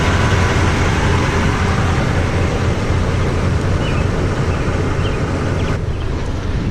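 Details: Toyota Tundra with newly installed TRD dual exhaust, heard from the back/underneath: low, steady exhaust burble, slightly rough with background hiss; healthy V8 idle.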